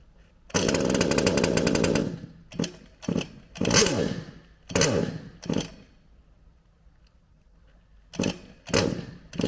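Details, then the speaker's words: HPI Savage Octane petrol RC car, second run, while trying to adjust the carburetor: small engine buzzes to high revs for a second, sputters in bursts and dies. Owner suspects coil or spark plug problems. "all right my hypothesis for this is we have definitely got coil problems or or spark plug we've got problems"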